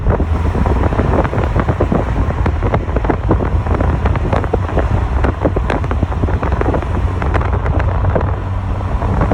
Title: 1.6 Na Miata - Clicking Noise / Spark Sound